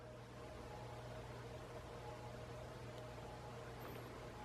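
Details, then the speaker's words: Stratofan industrial ceiling fan (Gold Line look-alike) switched from capacitor to solid-state speed control at low speed: quiet, steady low hum under soft air rush, mild motor buzz. Motor buzz from solid-state speed control. "hear that buzzing you can but it's not actually bad hmm oh yeah um a mild buzzing yeah it's yeah it's really quiet it's not loud buzzing"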